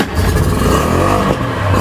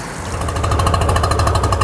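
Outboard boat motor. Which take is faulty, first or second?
second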